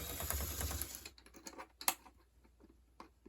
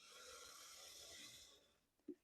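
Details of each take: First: And do you hear that clicking? That's the sign that these gears are cracked. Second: Bachmann BQ23-7 model diesel locomotive after cracked gears were replaced with 3D-printed gears, run at healthy power: steady airy high whir from motor and gear drive, no clicking; smooth gear drive running without clicking.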